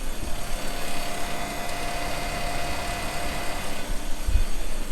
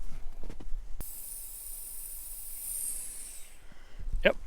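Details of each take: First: Maple sap vacuum pump running after a day chasing leaks in the tubing: steady low hum at an even, slower speed with no surging or hissing; pump rpm dropped as leaks were fixed, gauges reading 23–25 inches and holding. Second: Maple sap vacuum tubing line at section A2 (about 130 taps): a thin, steady high hiss for a few seconds over quiet woods as air is sucked in at a small tubing leak.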